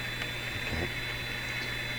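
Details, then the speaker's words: Clairtone console stereo receiver under alignment with a restored Heathkit TS-4A sweep generator, one speaker poorly connected: constant low buzzing mains hum under soft hiss through the speakers. "pretty good hum coming out of this machine"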